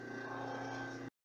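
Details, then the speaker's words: Overlock sewing machine on a husband-built bench, not yet threaded or adjusted, switched on: steady even motor hum with low drone and higher whine, no knocks or rattles; normal running. "Então aqui, ó, eu ligo aqui a minha máquina. Vocês vão escutar um barulho agora e a máquina sendo ligada, ó. Tá escutando?"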